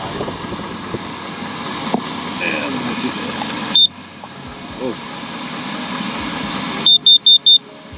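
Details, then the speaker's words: Carbon monoxide monitor in a van with an HCalory diesel heater, windows cracked open; a single shrill high beep then a quick run of four beeps over a steady fan hum; alarm going off as a demonstration. "side so if I do have some poisonous gases it'll go off just like that"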